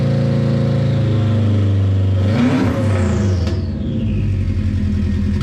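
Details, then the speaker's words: JDM-swapped Subaru Impreza 2.5RS with EJ205 turbo, cold start, semi-divorced wastegate downpipe, stock blow-off valve: loud raw rumble, quick clean rev with faint turbo whistle, recorded on GoPro; normal cold start and revving. "oh hell yeah I mean that's insanely loud right now but it still sounds super good not gonna lie hopefully you could hear the turbo whistle and stuff on the GoPro audio"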